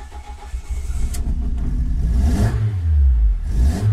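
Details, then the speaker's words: Ford Focus ST170 with GSXR 750 individual throttle bodies and ME221 ECU, after head work: long cranking with low irregular pulses and scattered uneven firing, not starting cleanly; owner suspects it needs more fuel while cranking cold; hard starting. "so this is still not ideal it's still not starting as well as I want it to and I I'm trying to find the issue skimmer crank"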